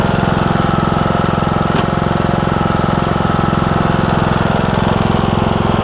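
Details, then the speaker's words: John Deere E100 with 17.5 hp Briggs, 80 hours, hard starting from a broken compression release, after a new camshaft: steady single-cylinder thump with no misses, knocks or hunting; started right up, smooth normal idle. "sounds good though start it right up too so that's awesome"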